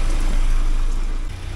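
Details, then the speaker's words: 1979 Porsche 924 after new motor mounts and warm-up regulator work, warm, fuel pressure steady as a rock at 3.2 (should be 3.4): low smooth even idle, deep rumble, no knocks or misses; normal warm idle. "The other thing going on, it's actually running very nicely though. So, I hate to screw with it when it runs so good."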